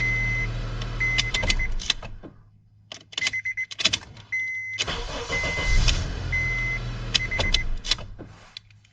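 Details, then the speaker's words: 2006 Honda Accord 2.4 four-cylinder after replacing the ignition switch electrical part, which had caused no-start: starter cranks briefly between chime beeps, then catches into a steady idle on each try. Normal cranking and start. "As you can see there, it starts without any problems and without failing even once."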